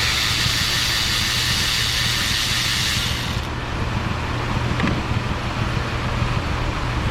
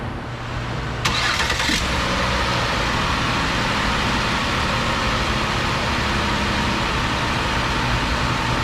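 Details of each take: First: 2008 Ford Escape 3.0 V6, about 300k miles, hot, idling while plug boots pulled; lumpy uneven idle with irregular thumps and pops, two cylinders not firing at all: misfire, rough idle. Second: 2008 Ford Escape 3.0 V6, about 300k miles, restarted after fitting plugs and boots on the easy bank only; steady even idle, previously dead cylinders now firing, running much better.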